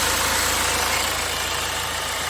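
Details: 2009 BMW 320d diesel with a cylinder 3 injector activation misfire code (443C), fault suspected in the injector plug or wiring: a smooth, even idle, engine light out and the gear selector shaking less.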